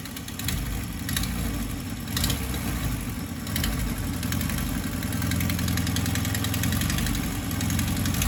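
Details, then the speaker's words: VW Golf MK2 GTI, EV engine with K-Jet injection, idling before a rebuild: a fast, uneven ticking puff mixed into the exhaust note, a strange exhaust noise from a burst exhaust. "Bon, éteint. On entend un petit bruit d'échappement bizarre."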